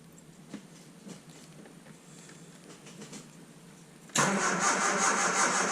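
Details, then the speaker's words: 1978 Triumph Spitfire cold start after new distributor and coil: about four seconds of weak uneven cranking, then suddenly catches and roars. Tightening the distributor turned it slightly, advancing timing, which owner thinks made starting slow; since fixed. "Okay, that last clip, that first start, when I tightened the distributor, it turned the distributor a little bit, so it advanced the timing. So that's probably what took it a little bit to actually turn on, but let's go now that I have it fixed."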